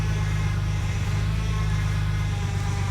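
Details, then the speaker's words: BMW E60 petrol engine idling with a deep, slightly uneven beat, misfiring now and then; car has sat unused a very long time; heard right after power-steering (CHF) fluid top-up stopped the steering whine. "but you can hear this engine is actually missing it's not running 100 but I would expect that because this car has been sitting for a very long time"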